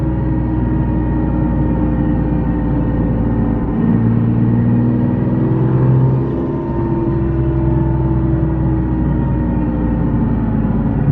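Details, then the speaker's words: Nissan 370Z Nismo with single turbo, windows up while driving: a loud steady whine from the rear over the road noise drops in pitch and volume as the car slows and persists in neutral; differential suspected, cause unknown. "it's actually really loud with the windows up [Music] you hear how loud that is and then as it slows down it gets less noisy"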